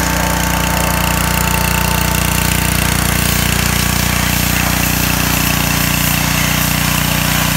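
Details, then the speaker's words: John Deere 2040 tractor diesel after water pump rebuild for a bad bearing, new hoses and fresh antifreeze: loud even diesel clatter at steady idle, no bearing growl or whine from the water pump; temperatures cool, runs great. "water-pump fixed new hoses on it full of antifreeze and it runs great temperatures nice and cool and there's no noise coming from the water pump"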